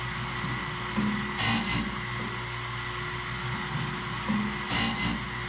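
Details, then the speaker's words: Wood-Mizer BMS 250 sawmill blade sharpener on first test run: steady motor hum with a grinding rasp about every three seconds as the wheel drops into each gullet; sharpener running properly. "So guys, I got it running, and I think it's running pretty good. It sounds good, it looks good, it's dropping right into the gullet how it's supposed to."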